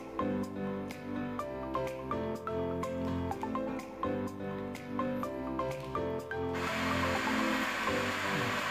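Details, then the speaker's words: Samsung UA32N4003AKPXD LED TV: music, then the sound collapses into loud, steady static hiss with no clear audio; the fix is in the Channel menu settings. "ini guys ya bunyinya. Suaranya berisik sekali, bising, tidak jelas."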